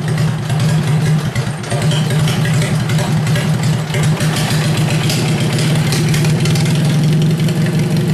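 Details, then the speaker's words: Worn-out Kohler engine on cold start: steady low single-cylinder thumping with heavy mechanical clatter over it, sounds pretty bad; owner says it needs rebuilding; rough running worn engine. "yeah pretty bad oh let me put this back on okay I'm going to shut it down [Applause] now anyway that needs rebuilt"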